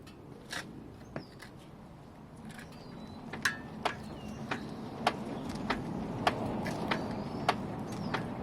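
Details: 2012 Hyundai Veloster Base, 150k miles: sharp, fairly regular clicks, under two a second, over low engine hum; cause unknown, owner notes harder shifts and front bouncing when shifting, suspects transmission.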